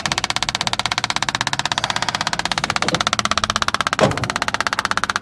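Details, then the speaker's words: Electric fuel pump priming a carburetor on an engine that had sat for a couple of years. Rapid, even, crisp ticking about ten per second: the pump clicking normally with fuel flowing. "All right, there she goes. That's the way it should sound right there."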